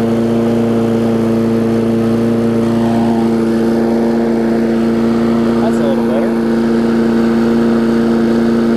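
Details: Craftsman 22-inch big wheel push mower, Briggs classic engine, 2008, after safety cable fix and carb linkage adjustment: steady high-pitched drone, no surging or dips, running a little fast; owner thinks the spring is just warm.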